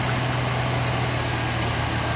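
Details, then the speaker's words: 2008 GMC Sierra 1500 5.3 V8 at idle after replacing a failed lifter (intake, exhaust and head removed). Smooth, even low rumble, no valvetrain ticking or tapping, much quieter than before, no exhaust leaks heard. Normal idle after repair. "So it looks like it's going good. It's a lot quieter than it was. Alright. Fix. Sounding good. Sounding real good."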